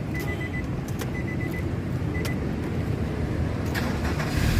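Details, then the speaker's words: 2005 Nissan X-Trail T30 2.5 automatic, about 184,000 km, first owner: starts crisply, steady even low rumble with repeating chime beeping; sounds healthy. "Nah, pada saat kita nyalakan mobil, pastikan bahwa nyalanya itu jreng."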